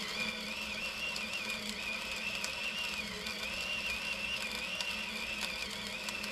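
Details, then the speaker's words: Battery-powered Femobook A2 coffee grinder on 10 g of very light roast beans at Turkish/ultra-fine grind; high motor whine over gritty crunching dips from its normal 60 to about 40-50 on hard beans, then recovers, slowing under load without stalling. "so you can hear that it is slowing down the RPM it runs it 60 normally so it's dropping I don't know 50 40 some of that range as it hits the more difficult beans to grind but it's pushing through no stalls"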